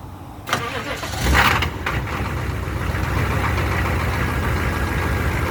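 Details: 1994 Chevy C3500 HD 6.5 turbo diesel, code 36, new lift pump and glow plugs, hard start only cold/first start: brief crank, then catches into a steady even idle clatter; owner suspects fuel prime loss, cause unconfirmed.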